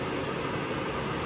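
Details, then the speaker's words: Suburban SF-42VHFQ propane furnace from a 2023 park model, on the bench: post-shutdown purge run, smooth even air rush from the fan with no rubbing or rattles; normal cool-down purge. "it has a cool down cycle to purge the combustion chamber you all gases so this is normal after you uh turn off the"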